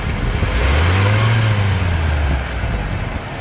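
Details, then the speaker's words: 1995 Ford F150 V8 after an oil change: smooth blip from idle and back, quiet with no ticking or knocking. The tick improved but remains under light acceleration; slight power steering whine from low fluid. "Sounds quiet to me."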